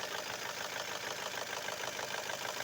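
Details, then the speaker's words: Chevrolet Cruze F18D4 petrol engine, warm idle: fast metallic top-end ticking rattle, several clicks a second; mechanic suspects the camshaft gears rather than the lifters, not confirmed. "это стук идет Не от компенсатора это сами шестерни распредвалов гремят"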